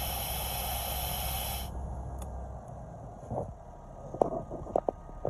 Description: Customer States. Hissing noise when I push on the brakes. What does a leaking brake booster sound like? Sound of a leaking brake booster.